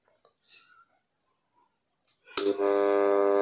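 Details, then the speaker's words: Advance M190 35W mini active speaker, flash-drive input, volume and bass at half: click at switch-on then loud steady buzzing hum with no bass; fault was a corroded, broken L jumper wire (audio IC replaced first without effect). "langsung berdengung ya teman-teman sekalian bisa didengar jadi ada suara mendengung nih"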